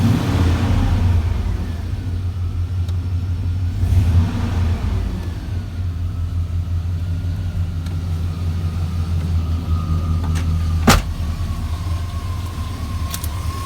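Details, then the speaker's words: OBS 4x4 truck with LS V8 swap, engine warm, good oil pressure: deep steady V8 rumble holding an even idle with no knocks or misses; normal idle. "start it up for you guys and show you that everything works"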